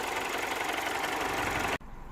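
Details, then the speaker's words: 2007 Mini One 1.4 N12 petrol after the repair for bouncing idle, stalling and error 2982, heard at the front of the engine: steady, even idle with a light, regular valve-train tick and no stumbles or hunting; running smoothly. "Let's gonna go at the front of the engine, at the front of the car, see how it's running. It's actually running quite well."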